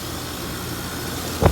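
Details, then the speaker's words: Heat pump outdoor condenser with no 24 V arriving from the thermostat wire, O and Y jumped at the unit: a steady compressor hum, then a loud refrigerant whoosh as the reversing valve shifts normally. "I just want to jump O and Y out and verify if that the reversing valve works. You heard that noise? It means the reversing valve works."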